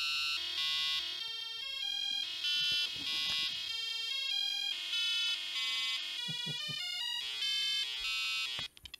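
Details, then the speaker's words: ZX Spectrum 48K issue 2 after replacing the speaker with a 200-ohm unit, clean crisp beeps stepping through pitches with no crackle or dropouts; speaker working properly. "And finally been able to hear the amazing beeping sound and yes it's reading what supposed to read 200 ohms"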